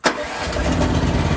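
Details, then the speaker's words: 2023 AGT Industrial QH-12 mini excavator, apparently unused, hour meter reading 50.3, with a small Briggs & Stratton gas engine: a short crank, then it catches at once and settles into an even low rumble; starts right up with no issues. "Starts right up, no issues."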